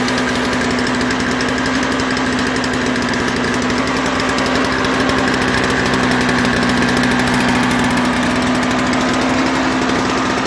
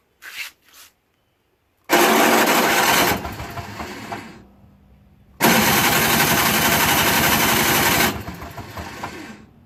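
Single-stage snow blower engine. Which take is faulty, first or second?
second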